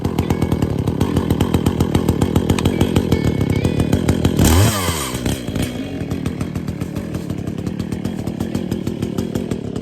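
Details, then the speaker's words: Echo CS-400 two-stroke chainsaw just cold-started, cutting young soft stump branches: rapid, even buzz whose pitch dips briefly as the chain bites then recovers cleanly; normal cutting. "First, I'll cut off the smaller branches. That sounds like butter."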